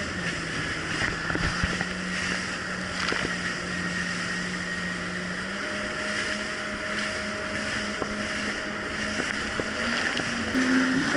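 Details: 2007 Yamaha VX Cruiser jet ski on choppy Lake Michigan after new .028-gapped spark plugs replaced mis-gapped old plugs: steady engine drone under wind and water noise, pitch climbing smoothly as throttle opens, no surging or hunting.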